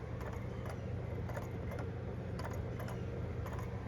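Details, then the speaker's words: Kit-Cat Klock, new, wall-mounted and running a few minutes, recorded from about 3 feet: soft light ticks roughly twice a second over low room hum; a little noise but normal, nothing rattling. "You can hear a little bit of noise, but it's not too bad. I'm 3 feet from it."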